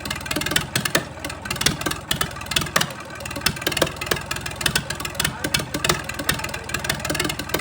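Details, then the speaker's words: 1962 Fordson Super Dexta diesel tractor just fired after 25 years sitting: uneven, stumbling diesel clatter with surging bursts and dips because air is still in the fuel lines and needs bleeding. "I was sure she was ready to go, but she needed a little more air bled out of the fuel lines."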